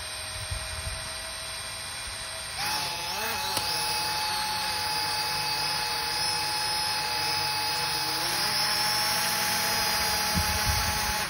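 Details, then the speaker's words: Snaptain SP-510 drone, nearly 200 hours: motors spin up with thin high whine over buzz from worn motor bearing; motor replacement advised. "that was the bearing noise now let's check this out my first step was to separate the top half"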